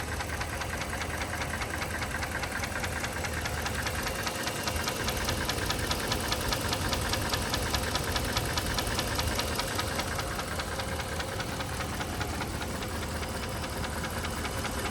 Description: 2012 1500 5.7 Hemi V8 with knocking sound. Either from manifold or lifters.